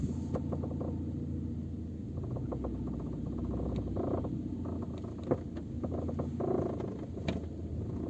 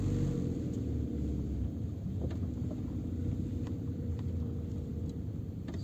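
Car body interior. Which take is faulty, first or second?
first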